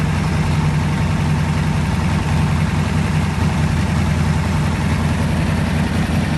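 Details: Pontiac 400 V8 in a T37 build after the valves were readjusted, with fresh rings not yet seated: a deep, steady idle with an even lope and no ticking or knocking, sounding healthy.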